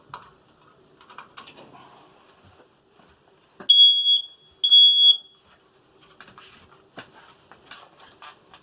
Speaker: so this is the smoke detector so right now I know the battery of this is about to be empty